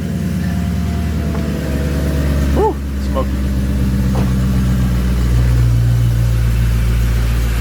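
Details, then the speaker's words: M113K supercharged V8 swapped CLK55 AMG, test fire after cleaning nasty supercharger oil, raining outside: deep steady idle rumble, even pulse, no knocks or whine; supercharger noise can't be judged here; sounds good, normal idle. "all right don't think we're going to be able to tell anything about our supercharger noise here"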